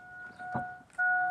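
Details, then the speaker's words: 2000 Chevrolet Silverado 5.3L that won't start: old aftermarket alarm, siren unhooked, repeats a two-tone electronic dong over a quiet cab; stuck in alarm mode and believed to block the ignition, fixed by cutting the alarm out. "Just going to unhook the battery cuz there's going to be a lot of cutting and I'm tired of listening to that dong dong dong dong dong dong."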